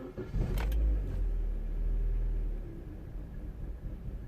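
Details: Vauxhall/Opel Corsa D Z14XEP engine, previously a non-runner with apparent misfire: engine catches, rises, then settles into an uneven lumpy idle, about three pulses a second, with fault codes appearing; rough running from a vacuum leak.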